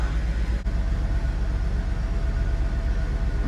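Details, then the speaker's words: Mercedes-Benz 380SL (R107) V8, first cold start after revival from long disuse; deep even rumble pulsing about four times a second, no knocks or misfires. Normal cold idle. "Solid thuds. Cold start. Here we go. That's what I'm talking about."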